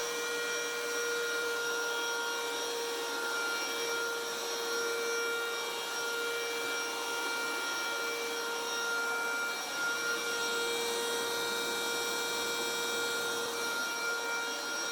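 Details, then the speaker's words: Bissell Powersteamer Pro carpet cleaner after no-spray repair: steady, even suction motor whine at constant pitch with no rattles, then clean shutoff; now sprays water and still suctions, healthy. "i think i mean it's working now um when i fire it up it it does spray water and it's still suctioning"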